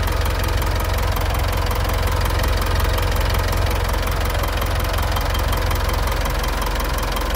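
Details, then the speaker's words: Mitsubishi Triton HDX 4x4 2018 diesel at idle, engine at working temperature (gauge about 3/4). Steady, even clatter with a deep smooth rumble and no stumbles, almost no blow-by. Revs respond easily past 2000 rpm. Normal diesel idle. "kita dengarkan suara mesinnya mesin sangat rata halus tidak pincang low by gas atau ngobosnya nyaris tidak ada"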